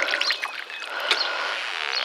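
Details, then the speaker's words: Sunroof drain retested with water after a wire was pushed down it and it was blown out with compressed air; bubbly gurgling and sucking as water runs freely with no backing up: drain clear, draining as it should. "You can hear it sucking the water in. That's what I wanted. So that water's draining out just like it should."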